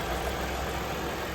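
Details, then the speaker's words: 2016 Ford Explorer 3.5 just restarted after water pump replacement: steady, even, smooth idle with no knocks, ticks or rattle; oil pressure up, still waiting for the thermostat to open; normal idle. "Sounds good. It's just reacclimating everything."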